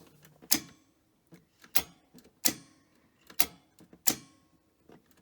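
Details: Grundig 2x4 Super V2000 video recorder with missing brake linings on the mechanism; sharp mechanical clicks repeat roughly every second in short bursts over silence, tape mechanism keeps cycling without finishing; owner suspects the brakes or a switch not being triggered.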